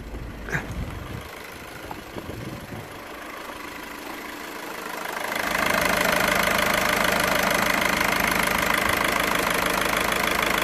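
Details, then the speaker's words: 2009 Audi A3 8P 1.6 TDI diesel idling evenly with steady clatter after repair; previously misfiring on three cylinders with codes P2463 and P0202, limp mode and DPF light; now no stumble or missed beats. "one thing I can tell you and you might be able to hear it is not miss farming anymore he's running steady as luck"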